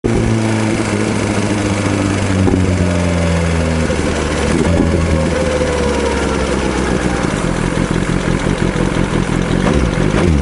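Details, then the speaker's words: BMW S1000RR engine running with a fast, light clatter that keeps time with revs: worn camshaft left a gap between rocker arm and cam, causing the ticking; camshaft replacement required. "ロッカーアームと、カムシャフトの間にはい。隙間ができて、はい。カタカタカタカタ音が鳴ってるみたいなんです。"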